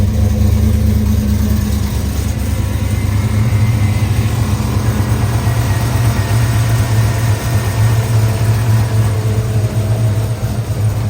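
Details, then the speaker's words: Crew cab truck with a 6.2 V8 swap, still untuned and slightly hard to start: deep, fairly even idle. The choppy cam lope it used to have is missing. "yeah it doesn't chop the the chop that he used to have is not there"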